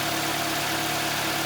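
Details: Mitsubishi Lancer X 1.6, 211,000 km, CVT, after new pistons and coupling fixed knocking: steady, even idle hum with no rattle or knock.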